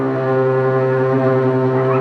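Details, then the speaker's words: Refrigerator loud noise traced to the fan inside the panel; intermittent noise that stops at times and grows louder at others, heard as a loud low droning hum, from a worn fan motor bushing. "Como podemos ver, el ruido no es constante. En unos momentos para y en otros momentos es mayor el ruido."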